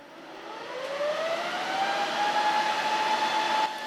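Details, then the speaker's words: Enterprise server NAS, one compute node installed, just powered on: loud rushing whoosh climbing steadily then holding high like a leaf blower, a bit loud; fans spinning up to full speed normally. "It sounds like a fucking leaf blower. It's a bit loud."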